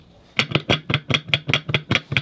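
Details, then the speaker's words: VW Samba bus transmission differential, taken apart and rocked by hand. About eleven sharp metallic clacks in two seconds; the spider gears are stuck and don't spin, and the gears are super loose. Owner suspects the fulcrum plates are too thin and the gears are deformed. Loose differential gear clunk. "they're super loose which uh tells me that the Falcon plates need to be bigger I need to space them out"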